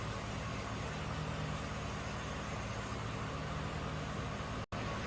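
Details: Warm idle on a 2006 GMC Sierra 1500 4x4 5.3 V8 (VIN T) after a new bank 2 sensor 1 O2 sensor and a fuel trim reset, running in closed loop. The idle is even and steady with a smooth low drone and no misses or knocks, a normal idle.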